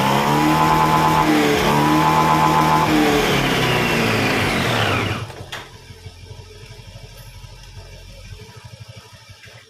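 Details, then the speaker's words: Honda Scoopy (K44) scooter after CVT repair (worn roller housing and loose ramp plate addressed), cover still off: revs up and down evenly with no knocking or rattle, normal revving. "Now Let's try increasing E to [Applause] the rpm, there's no knocking sound either when you press the gas"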